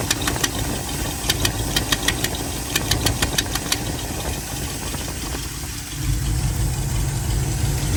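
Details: Chevy 350 V8: sharp uneven puffing ticks about three a second at idle, swallowed by a deeper roar as revs rise: a bad exhaust leak.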